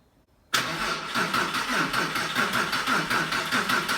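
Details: Porsche 911 (996), first start after roughly four years of restoration, weak battery: starter churns steadily about two turns a second but engine never catches; cause was an unplugged throttle body connector.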